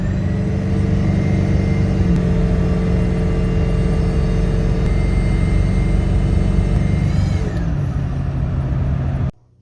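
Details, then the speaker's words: Ford Powerstroke diesel turbo that sounded normal the day before: steady high-pitched whistles over the rumble, sliding down as revs fall; owner suspects failing turbo; abnormal turbocharger whine. "yesterday my Turbo sounded normal today it sounds like this"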